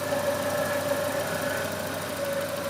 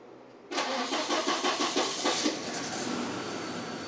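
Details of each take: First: Volvo 240 idling after first start following water pump, timing belt, thermostat, B cam and Redblockpowered ECU/EZK work, coolant not yet hot: smooth four-cylinder idle with a thin steady "wee" whine and slight puffing; owner suspects an exhaust leak or possibly the fan; source unclear. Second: Volvo 240 first start after months off the road for water pump, timing belt, thermostat, B cam, adjusted shims, Redblockpowered ECU/EZK and new mounts and hoses: cranks briefly, catches first try, settles to nice even firing pulses, nothing leaking; normal start.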